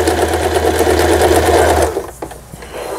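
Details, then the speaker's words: Lion Mising-sold Janome JF1012 home sewing machine, long unused, after repair with burnt parts replaced: fast, even needle clatter and smooth motor hum while sewing an overlock stitch, upper and lower thread tension well balanced, then a clean stop; stitching normally. "요 오버록 스티치까지 이제 성공적으로 박음질이 돼서 나오고 있습니다. 아래실 위실 장력도 잘 맞고 있고,"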